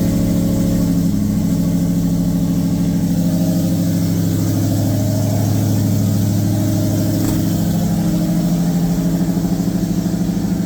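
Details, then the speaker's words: 2003 SVT Cobra new fully forged engine, restart: steady even idle, smooth low hum, no ticking or tapping, strong oil pressure; normal idle. "Tons of oil pressure still. Whisper quiet so far. Man, that is night and day compared to the last startup."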